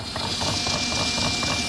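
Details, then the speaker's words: Cordless drill in gear 2 with its trigger tied on, driving a paddle in a water drum on a test rig, after running 43 minutes. A high, strained motor whine with uneven chatter, slowing and underpowered: the motor is labouring on a depleted battery. "I don't know if you can hear that, but the motor sounds like it's like, yeah, need more power, need more power."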